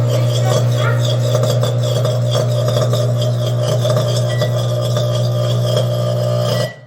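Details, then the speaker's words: Old, heavily used microwave running with a deep hum broken by irregular snapping crackles and sparks; the cardboard waveguide cover on the right side is burned and gets replaced. "podemos ver que está chispazos y truena muy feo"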